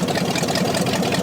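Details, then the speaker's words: Scrapyard 360 V8 Jeep Cherokee with Hooker Super Competition headers, just revived: uneven idle with regular puffing tick about five to six per second over rough burble; sounds like exhaust leak, miss only at idle, gone when revved. Idle miss suspected. "It sounds just like an exhaust leak almost. Yeah, it kind of does. When it revs up a little bit, it doesn't sound like it's missing. Only at idle."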